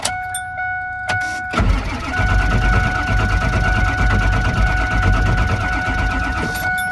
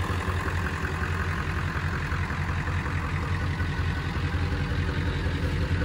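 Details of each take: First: 1999 Ford F250 Super Duty 7.3 Power Stroke diesel, higher mileage and sitting for years, cranked while checking for tach movement to test the crank position sensor: slow, uneven starter grind with a steady whine; never catches, batteries weak. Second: 1999 Ford F250 Super Duty 7.3 Power Stroke diesel, sat for years: runs, deep even idle with steady low clatter, no misses or knocks; normal idle.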